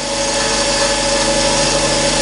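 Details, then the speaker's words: Grinding a collet block for square: steady high-speed motor drone with faint constant rubbing tone; grinding wheel not quite round, possibly sitting slightly off centre, improving as dressed. "Here that wheel is not quite round at the moment. Don't know how that happens."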